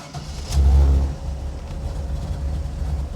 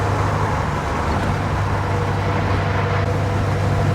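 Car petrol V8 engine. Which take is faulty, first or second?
second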